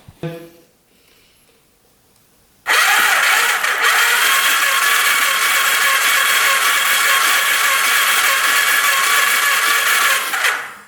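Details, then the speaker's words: 1991 Kawasaki Vulcan 1200, cranking after a plug wire connection was repaired. The starter spins the engine at a steady, even rate for about eight seconds without firing. It cranks but won't start, with no spark at the plugs. "Not seeing any spark whatsoever. Of course, right? Turns over pretty good, but we're not getting anything."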